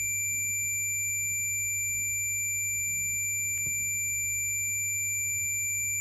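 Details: Refrigerator thermostat RC 94522-4 with its bulb in the freezer, tested with a multimeter buzzer, mic near the thermostat: a steady unbroken high-pitched continuity tone over low mains hum means the contacts are still closed before cut-off.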